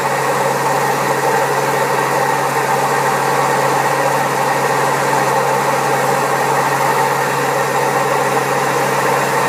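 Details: Old Servis Caress 1300 A washing machine, also with a creaky pump, spinning at 1300 rpm: loud constant rumbling roar with a low droning hum; very bad drum bearings.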